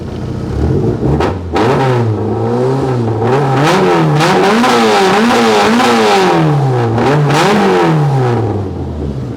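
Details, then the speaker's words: GT with new adjustable ITBs, balanced linkages and a fresh ECU setup: it starts straight up with a flick of the key and idles, then repeated sharp blips rise and fall cleanly with no misfire or stumble. Normal, free revving. "I mean just with the flick of the key note aquifers straight up and idles"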